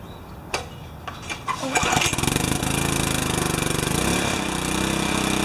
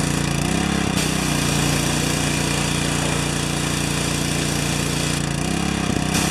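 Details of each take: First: Briggs & Stratton 4 hp vertical residential pressure washer, frozen and cracked output pipe, unloader replaced, first start after a while: a few cranks, then engine catches and settles into steady, even chug with no misses; normal running. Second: Four-horsepower Briggs & Stratton vertical residential pressure washer damaged by freezing, outlet cracked: small engine drones steadily under pump load, brief dips as the trigger changes; the unloader valve is bypassing and won't hold pressure.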